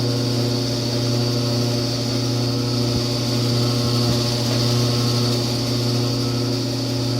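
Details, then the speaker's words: Kenmore-branded Frigidaire electric dryer, top off, heat setting after about ten minutes warm: loud steady hum with a thin high whine, only on heat, quiet on air fluff; sounds bearing-like, worn blower wheel. "it's starting to hum really loudly and kind of make a high-pitched noise at the same time"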